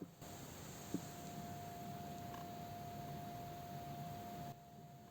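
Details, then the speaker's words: Lidl Livarno Lux E27 ZigBee smart LED bulb at full white brightness: constant high-pitched buzzing and crackle, disappearing in other colors or when dimmed. "je sais pas si vous entendez mais on a un bourdonnement en permanence"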